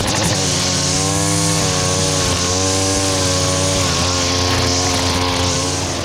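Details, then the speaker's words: Stihl FS70R two-stroke string trimmer after repair (bogging and no power traced to a fuel mix with far too much oil, clogged spark arrestor and gummed carburetor): high buzz dips slightly cutting growth and recovers without bogging; normal running under load. "but we got it back up and run as you see it cuts well nothing else to be said"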